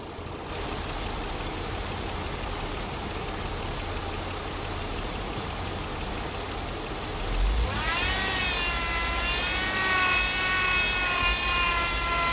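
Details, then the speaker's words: 2008 Chevy Impala at idle then revved, noise present before and after a power steering pump replacement: high whine climbs with engine speed and holds; air bubbles seen in the reservoir fluid cause it. "Those are air bubbles. That's what's giving you that noise."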